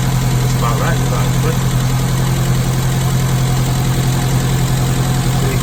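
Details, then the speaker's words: Classic Mini carburettor engine during Gunson Colourtune tuning: steady smooth idle but noticeably too fast; idle adjustment screw being backed off with a small screwdriver, target about 900 rpm. "So as you can hear, again, it's still idling a bit too fast. So all I'm doing is I'm just taking a small screwdriver and just loosening off the idle adjustment just to bring that idle down a little bit."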